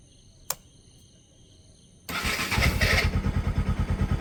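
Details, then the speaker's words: Bajaj Pulsar NS200 after replacing the starter relay, which had smoked and burned from heated legs: quiet, then starter catches and the single fires on first press, settling into a steady, even idle thump. "മാറി വെച്ചിട്ട് self അടിച്ച് ഒറ്റ അടിക്ക് വേണ്ടി start ആകും."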